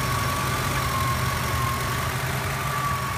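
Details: Petrol engine at idle: thin, steady high whistle holding its pitch above a calm idle. Water pump and idler pulley were suspected at first, and bearings felt fine by hand. The whistle is confirmed as worn alternator bearings.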